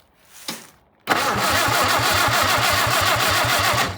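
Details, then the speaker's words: What looks to be a WWII-era Jeep MB that sat for years behind a farmhouse, just turning over: strong, even cranking with no grinding. Normal starter cranking. "Nothing wrong with that starter."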